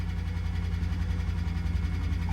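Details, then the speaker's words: Auction-yard vehicle, 139,000 miles, started on a jump pack around 85°F: low, rough idle right after start with a dull bing-banging knock under the engine note and oil pressure gauge reading low; gauges flashing, possible alternator issue. "And she's making some noises in here, bing banging. Turn that off, save this jump pack. Ooh. Ooh, oil pressure low."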